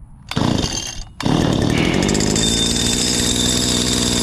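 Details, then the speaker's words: Stihl FS85 two-stroke hedge trimmer on choke after correcting reversed fuel and return lines: sputters, dips, then catches and holds steady even buzz; runs normally after repair. "look at that only thing was wrong with these lines was reverse"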